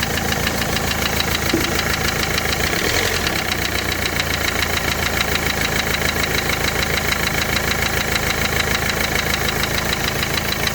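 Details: Renault Clio 3 1.5 dCi diesel at idle: heavy, fairly regular knock beating through the diesel clatter; engine bottom end is worn out and being dismantled.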